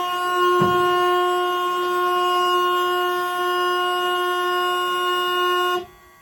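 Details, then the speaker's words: 1937 Plymouth sedan, ignition turned on while trying to start it: loud, unbroken horn tone for nearly six seconds, then an abrupt cutoff; stuck horn. "Uh-oh. Horn blowing. I'll be right back."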